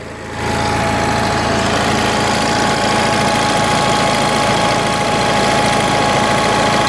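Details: Onan 4 kW carbureted gasoline motorhome generator, carburetor mixture screw opened after smooth running: engine beats and shakes unevenly, about four pulses a second, not a flat hum; rough running from over-rich mixture, not too bad.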